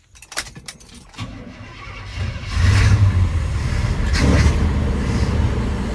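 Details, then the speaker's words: GMC 3500 V8 truck with an Edelbrock carburetor after retuning: starter grinds briefly, then the engine catches and settles into a steady, even low rumble with no stumble; a major fuel leak is noticed afterwards. "wow that's running really good"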